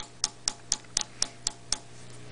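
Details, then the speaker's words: 12AX7 vacuum tube on noise test fixture, 150 V plate supply, 12.6 V DC heater, triode two: crisp taps about four per second over faint hum, no ringing; normal low microphonics. "this one is also very quiet the tap pulses are only about plus or minus 20 millivolts maybe even a little bit less triode - is even quieter"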